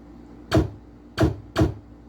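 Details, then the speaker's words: Pinball machine (Whirlwind) opto switch tested: three sharp, evenly spaced clicks over a quiet hum, switch registering cleanly each time; normal and good response. "Okay. That's normal and good. Normal and good."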